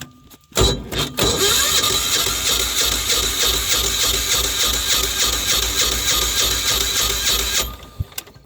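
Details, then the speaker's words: Apache diesel generator, cold after an ice storm, 9.8 hours on the meter: even starter cranking at about three beats a second for six seconds, never fires; no start. "I don't want to go too much I don't wreck the starter so it's not starting"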